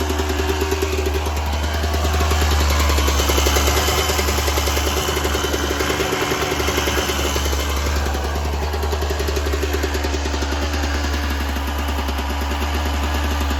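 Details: 1996 Yamaha YZ250 two-stroke, warmed up, pipe too hot to touch, before carb work: ringing idle with blips that stumble and flatten instead of climbing; small blips okay, bogs with more throttle, suspected pilot jet issue.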